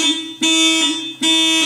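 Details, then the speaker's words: 2003 VW Passat W8 AWD automatic, key on with no 12 V at fuse 28 (fuel pump relay): a loud two-tone factory alarm siren cycling about every 0.8 s, engine not running; later traced to a water-shorted fuel pump control module. "the freakin alarm on there it goes so I don't know what's going on here"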